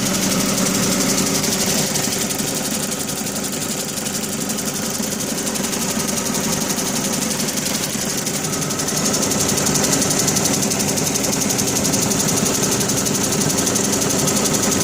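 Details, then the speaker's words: 2005 Dodge Neon about 200–300 km after head, manifold and intake gasket replacement and an oil change: a fast, steady tick over the idle. The owner suspects a stuck lifter, dirt, a blown manifold gasket or a broken manifold bolt. "so it changed the head gasket and manifold gasket and intake gasket and about 200 kilometers on it and now she's making a real bad ticking noise don't know if it's a lifter stock a little bit of dirt maybe I blew the manifold gasket or broke a bolt putting the manifold back on just looking for some ideas"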